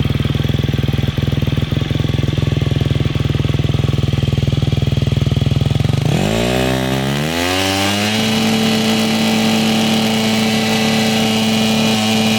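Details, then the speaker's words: 2009 KTM 250 XC-F after rebuild and idle adjustment: fast even popping idle, then a clean rev climb to a steady higher note, no knocks or rattles; engine healthy. "There's the lovely bike, she's looking good. I'm gonna fire it up here."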